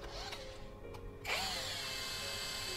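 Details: Low-budget rebranded brushless hammer drill after a shim was fitted at the top to stop the rotor rubbing the stator. An even, steady whine, now turning freely and smoothly, with a normal quiet sound.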